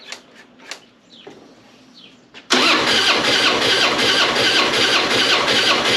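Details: Harley-Davidson springer V-twin cranking on the starter without firing, with a lopsided beat. Front cylinder reads decent compression, rear reads zero. Owner suspects a bent valve, bad gasket, bent pushrod or piston ring. Low compression in one cylinder.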